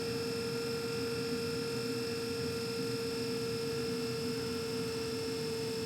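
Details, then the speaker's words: 2014 Carrier Infinity 98 natural-gas furnace, first startup of the season: variable-speed inducer fan ramping up with a steady even tone and smooth airflow rush, no rattle or scrape; normal inducer operation. "You hear the inducer fan ramping up."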